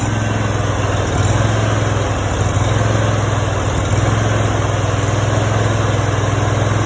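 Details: Brand-new Honda GX630 20 hp V-twin, 0 hours, just after first start: steady even low putter with firm beat and no misses or knocks; runs cleanly and smoothly.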